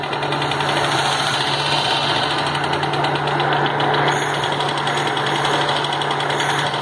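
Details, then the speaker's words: 1983 Subaru GL with the EA81 engine running loud and rough with a rapid, steady metallic knock tied to engine speed. Owner suspects piston no. 4, and coolant is being lost somewhere; engine knock, cause unconfirmed. "That doesn't sound good. In fact, nothing on this car sounds good. It's fucking dying."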